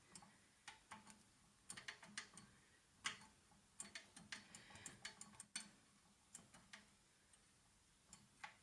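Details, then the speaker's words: Harrison mill gearbox during restoration disassembly, spindle turned by hand: sharp irregular dry clicks as it detents and springs back; cause unknown, to be examined when spindle is removed. "can you see the sort of how it just Springs back like that you can hear it clicking as well can't you"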